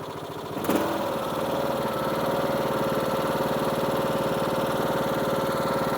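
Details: Husqvarna YTH21K46 riding mower after deck belt replacement, started on choke: catches quickly, runs smooth steady speed with even deck hum, no slipping squeal; running fine, new belt felt slightly loose.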